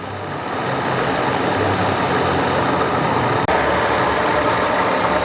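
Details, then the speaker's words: Mercedes R129 SL600 V12 donor car that sat for years, revived with new gas and swapped parts. An early slight lifter tick fades as it warms, and it settles into a steady, even, smooth idle with no misses or knocks: purring. "that thing is freaking purring now"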